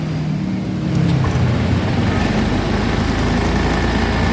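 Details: Honda Beat Deluxe fuel-injected scooter idling fast even with the throttle cable not pulled: a raised, steady, even hum that never drops to a low idle; idle speed too high, throttle body, ISC and TPS to be checked.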